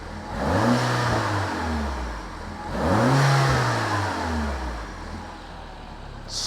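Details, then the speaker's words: Peugeot 308 GTi (Prince engine) after a new rubberized water pump pulley was fitted to cure a fast, jittery noise. Two clean revs rise and fall smoothly with no squeal, chirp or rattle, and idle is smooth. Normal revving, noise gone. "Idle. Yeah, idle's nice and smooth. Hell yeah. Oh, it's buttery smooth."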